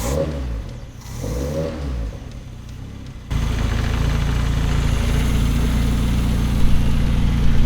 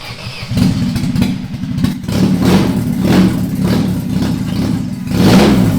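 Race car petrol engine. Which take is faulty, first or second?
first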